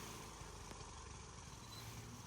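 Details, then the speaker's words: LT1500 (247.288820) riding mower after a tune-up and deck reinstall, blades engaged via PTO: small engine hums at an even, steady speed with no belt squeal, screech or vibration; everything sounds fine. "Um, and I'm going to engage the mower and listen for any screeching or any vibrations. And it sounds pretty good. Every there's no shaking. Everything sounds fine."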